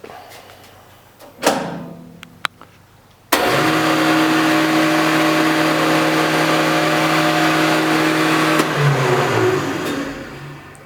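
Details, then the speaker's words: 1984 Powermatic 26 shaper, restored after two years outdoors, with a new 3 hp single-phase thermally protected motor, Square D starter and drum switch: a switch clack, then a smooth steady hum that winds down evenly. A healthy first run. "Not too bad."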